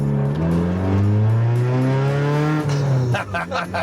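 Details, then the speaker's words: 1996 Honda Civic hatchback four-cylinder, first start after driveway repairs: one quick throttle blip, note climbs cleanly, holds and drops back without hesitation or knock; normal revving. "wow that's uh i love it four cylinders of raw horsepower jimmy dude these things are fun though"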